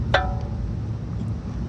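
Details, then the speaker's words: 2017 Audi A3 with a knocking sound when driving; suspension checked fine, and the non-original pads (thought to be Bosch) move too easily. A single sharp metallic clack from a loose brake pad in its caliper, louder at speed and over bumps. "That sound amplifies when you go faster. And check the movement on the pad. So it must not move this easily."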